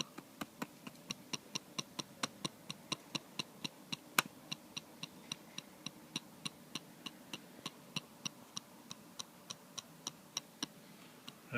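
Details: New MacBook Air (2013) trackpad: sharp light tinny rattling clicks about every third of a second when touched or clicked, quiet in the centre; owner suspects a loose gap between glass and steel.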